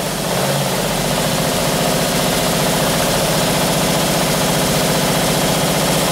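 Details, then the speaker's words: 1978 Camaro 350 V8 warmed to 190 degrees, exhaust fitted: fast light ticking lifter rattle over steady idle, rising with revs; lifters need resetting. "all righty i had some vacuum covers come on back on up to 190 degrees now with the exhaust on there i can hear the lifters rattling so now i can go and uh go through and reset those"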